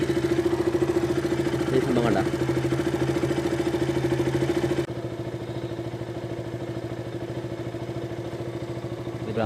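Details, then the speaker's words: KTM RC 200 idling after the loose part was reseated: a steady, even single-cylinder idle, about 200 beats a minute, with no misses. The earlier spark-arcing tick is gone. "സൗണ്ടാണെങ്കിലും നിങ്ങൾക്ക് ചെക്ക് ചെയ്യാം. പ്രശ്നം ഒന്നും കേൾക്കുന്നില്ല. നേരത്തെ ഒരു സൗണ്ട് കേൾക്കായിരുന്നു, സ്പാർക്ക് അടിക്കുന്ന ഒരു സൗണ്ട്."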